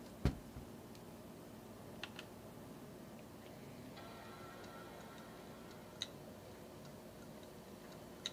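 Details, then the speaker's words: About 21-year-old Indigo Apple iBook G3 Clamshell at power-on: startup chime over a quiet hum with sharp irregular clicks from the hard drive, which is dead or failing. "we have a chime and a worse sounding hard drive but we do have a backlight so all is good but yeah something's up with these drives"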